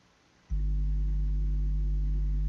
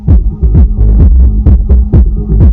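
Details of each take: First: Soundigital 12000.1 EVOX 1-ohm car amplifier on the bench, powered with RCA input connected: steady low droning tone with no music output; suspected preamp or RCA socket fault, broken RCA connector found. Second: Soundigital 12000.1 EVOX 1-ohm car amplifier, powered with remote on: deep clean bass thumps at about 128 a minute with no crackle or cutting out; normal amplifier output.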